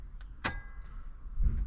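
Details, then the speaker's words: 2015 Land Rover Defender 110 dual-battery T-Max split charge system, after swapping a dud Optima Yellow Top leisure battery: the manual button energises the solenoid with a sharp metallic clack, then a dull thunk as it connects and drops out, linking the two batteries normally. "What that will do is send a little bit of charge to the solenoid to manually connect the two, and you might hear a clunk. There we go. So now those two batteries are linked together."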